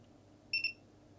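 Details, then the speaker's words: Multimeter continuity beep on a PS5 that beeps once every 10 seconds but won't power on: blown fuse, no short on one side, dead short to ground on the other, likely a single shorted capacitor. "So we've got no short that side of the fuse, but as soon as we touch this side of the fuse, we dead short to ground."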